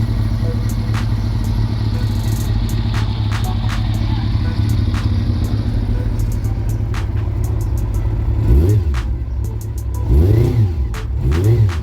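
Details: Honda CB400 after engine rebuild (new original bearings, valve seals, rebored +0.75 pistons and rings, after internal noise), running on leftover carb fuel: even low rumble at idle, quick blips rise and settle cleanly, no knocks or rattles; healthy.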